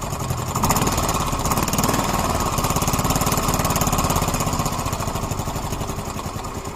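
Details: Yamaha Mio M3 scooter at idle: fast, fairly even tapping about three and a half per second over a rough idle; engine ticking noise, owner suspects the valves but the cause is not confirmed.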